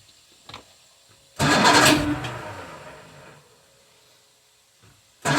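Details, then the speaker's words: 1978 Evinrude 150 outboard, cold, on choke with a little throttle added and the primer bulb not pumped: a loud burst as it fires, fading over two seconds, then another burst, struggling to stay running, hard cold starting. "so it's definitely cold nature um i end up having to give it a little bit of throttle"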